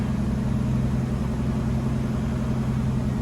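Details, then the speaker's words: 1966 Ford Mustang convertible cold start after two full throttle pumps, no throttle; choke high-idle screw turned about 1.5 turns, fast idle about 1600 rpm: steady, smooth hum, no misses, idle steps down properly. "Nice high idle. And it actually steps down."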